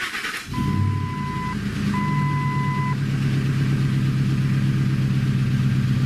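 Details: 2004 Ford F-150, rough running when warm, aftermarket cam phasers suspected, VVT disabled in a custom HP Tuners calibration: starter whirs, engine catches and settles into a steady, even idle with loud exhaust, no misses or knocks.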